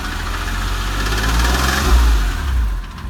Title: 996 3.4 engine ticking sound video 2